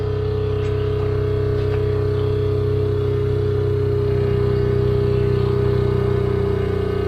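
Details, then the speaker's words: Small water pump filling a DIY accumulator tank made from an old hot water heater, starting with no air pressure: constant droning hum easing slightly as pressure builds, run about 30 seconds; normal. "You can hear it slowing down a little bit. The pump or I can hear it."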